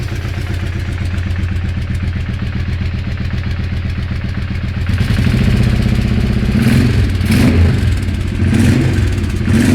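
A steady clatter about four beats a second rides over the engine and gets louder as revs climb; the cause can't be pinned down.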